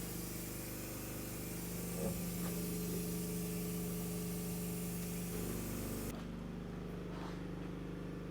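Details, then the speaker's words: Volvo VNL truck with low-boost complaint, intake pressurized with shop air for a boost pressure test after a sensor came off: steady airy hiss over a low hum, cutting off sharply near the end; suspected intake boost leak. "That's how boost pressure test looks like. We're just going to connect air here and we'll pump it in the system. Let's go. I hear something."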